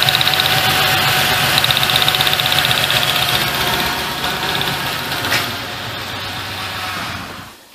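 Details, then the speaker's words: 1998 Ford Ranger 4.0L with a check engine light and a cylinder 4 misfire, idling during a plug-wire pull test. A regular stumble about four times a second gives an uneven beat; one cylinder is dead from a bad spark plug, with no carbon tracking seen. "it's got a bad sparkplug that's something you hardly ever see on a vehicle especially cuz I didn't notice any carbon tracking or anything"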